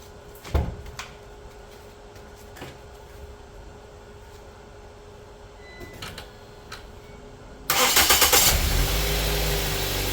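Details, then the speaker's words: 2010-13 Ford Transit van after serpentine belt tensioner replacement (old one threw the belt), weak battery on charger: quiet clicks, brief crank, catches quickly into smooth steady idle; pulley not moving, starts normally. "I don't see where the pulley's moving any, so that might be all it was. I'm just going to let it idle for a while."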